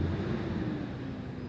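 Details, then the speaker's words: Nearly 15-year-old truck with overhead cam V6, 117,000 miles, idling in neutral after start: deep steady low rumble, no knocks or misses; healthy idle, engine said to have much life left. "This engine has a lot of life left in it."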